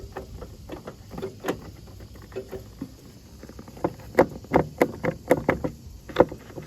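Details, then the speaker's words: Hydro riding mower, free Marketplace find, fresh battery installed, turning key: solenoid clicks in a quick burst but engine never cranks; owner plans to short the solenoid, engine spins freely with the spark plugs out. "I just put a battery in it. This is Colonel Craftsman's Key. Okay, I can hear the solenoid clicking."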